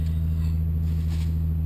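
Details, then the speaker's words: 2011 Hyundai Genesis Coupe V6 cold start after weeks of cold (about -7°C days, -13°C nights), parked covered: steady deep even hum, no misses, knocks or ticks; started fine, cold transmission stays engaged in neutral. "it's not bad started up just fine"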